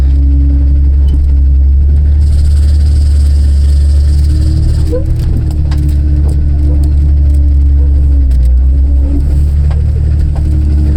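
Deep, steady engine rumble with mild revving and no knocking, a healthy-sounding engine without piston slap.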